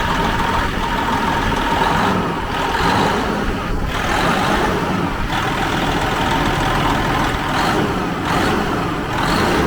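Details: 2004 Freightliner Columbia diesel truck after starter solenoid repair, started with starting fluid while water still cold: steady low diesel clatter at an even idle with no knocks or misses; sounds good, normal idle.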